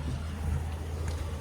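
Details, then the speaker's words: Ram 1500 after the warning-light, ABS, traction and fuel gauge faults were resolved: a low, even idle hum with no misses or knocks and one brief clunk near the end; the engine runs smoothly. "we are running super smooth pouring like a pussycat"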